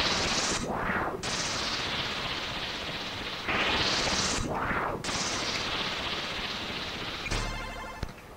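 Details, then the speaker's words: Commodore C128 SID sound chip tested in a C64: harsh noisy bursts that swell and cut out with no clean tone or melody; the chip is dead and needs replacing. "und da brauche ich einen neuen ich hatte jetzt die Hoffnung dass er doch nicht kaputt ist aber der ist kaputt"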